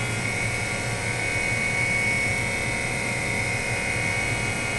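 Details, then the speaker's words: RT-7/APN-1 radar altimeter at 28 V DC switch-on: constant high-pitched dynamotor whine over a low even hum as it spins up, current jumping to about 6 A then settling at 2.5 A; normal steady running while tubes warm. "You'll hear at first the whine of the dynamotor as it spins up, and you'll see the current jump there and then settle down."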